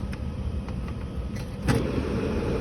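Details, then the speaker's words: Home furnace return air in the living room, beside a newly installed dehumidifier behind the furnace: continuous rough, uneven low rumble with a brief louder surge; loud rumbling noise complaint, cause not pinned down. "okay i am at dr acker's house the complaint is loud rumbling noise"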